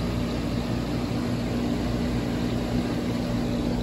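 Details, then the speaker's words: Hayward HeatPro heat pump pool heater, previously not heating, compressor kicking on minutes after the fan, 78°F ambient. Steady low drone with an even mechanical hum, no knocking or rattle. Compressor running normally. "So, there's the compressor. Yeah. And that I I didn't hear it every time. This is the first time I heard that."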